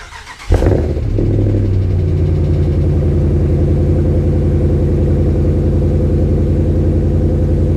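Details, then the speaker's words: Dodge Ram 1500 5.7L HEMI with Carven direct-fit progressive muffler, started then idling; deep, steady, very loud rumble with no quiet mode; owner finds it too loud and droning for a daily driver, so is removing it. "So this is what I mean, it's just always loud. So if I'm just sitting here to stop and I go to leave, it's just always on. There's no off to this exhaust."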